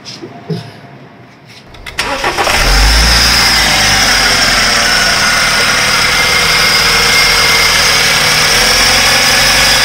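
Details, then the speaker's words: BMW F10 528i after DME replacement with a used computer carrying the transferred original data: starts, then idles with a harsh, rapid diesel-like clatter, same as with the original computer; sounds horrible and is shut off. "i hear the same sound same same as that sound same diesel-like sound engine that sounds absolutely horrible and i would better turn it off"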